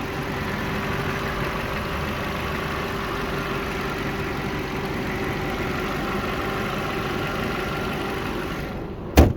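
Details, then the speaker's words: 2001 Ford Focus idling, hood open: steady idle with a coarse low rumble and faint puffing underneath; sounds like an exhaust leak or possibly a loose motor mount, cause not confirmed. "And I know that there is what sounds like an exhaust leak or potentially a motor mount on this car."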